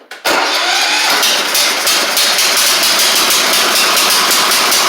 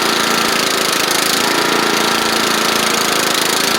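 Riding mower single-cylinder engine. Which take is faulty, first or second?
first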